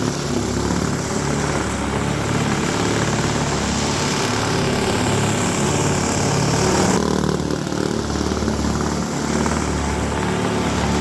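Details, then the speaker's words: Toro S-200 two-stroke snowblower, roadside find rehabbed, cold electric start, first snow test: steady buzzy drone holding revs under load without stumbling or surging; healthy running under load. "the little guy is performing like a champ I'm very pleased"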